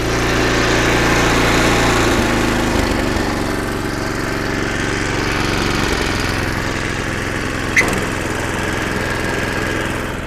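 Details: Snowblower about 25 years old, after a carburetor kit and needle-and-seat replacement, started on choke: small engine running strongly and evenly, stepping down smoothly in speed twice with no hunting or stumbling; repair successful.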